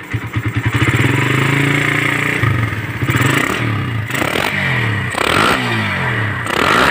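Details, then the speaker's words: Suzuki Satria FU150 with a newly fitted Keihin PE28 carburetor, after adjusting it for stutter and sluggish or empty throttle (air screw no more than two turns out): engine revs up and settles cleanly, no stumble or sputter; normal throttle response. "normal ang tren."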